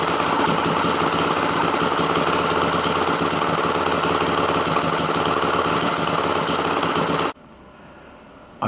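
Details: Home-built 1987 single-cylinder two-stroke opposed-piston model engine, variable compression, water cooled, 25 mm bore, 29 mm stroke, homemade carburetor, test run outdoors: loud, fast, even buzz for about seven seconds, then cuts off cleanly; runs smoothly.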